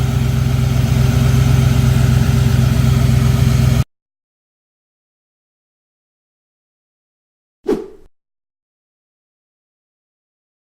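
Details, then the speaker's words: Chevy small-block V8 G30 ambulance, after fitting billet aluminum alternator bracket with heim-joint tensioner to stop thrown belts: steady, even idle, belt tight with no squeal or knock, then shut off. Normal idle. "I just ran the engine and it's nice and tight, no squealing or anything like that, and it looks good. Engine runs, everything looks good."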